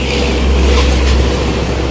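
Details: Yamaha Nouvo Elegance 135 scooter after major service with engine oil and 200 cc final-drive oil changed: starts easily, loud steady low rumble with no misses, knocks or surges; runs smoothly.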